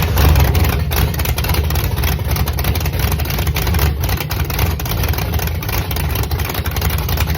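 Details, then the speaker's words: Engine whose coolant froze over winter and pushed out a core plug, at its first restart before timing was set: uneven lumpy idle with a wavering rumble, no white smoke or steam from the headers; timing still to be checked. "I didn't see any like plumes of white smoke or anything, or steam, I guess I would say, coming out the headers. But It wasn't pretty, but it started."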